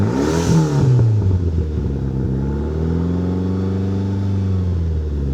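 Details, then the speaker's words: 1997 Mitsubishi Eclipse GSX, cold start after sitting almost 5 years: revs to 4, 5 and 6 thousand with belt squeal, falling back to a lumpy cam idle. Sharp puffing from a front exhaust joint leaking because it has no gasket. "But I think it sounds pretty good, despite there being an exhaust leak at the front still, because no gasket."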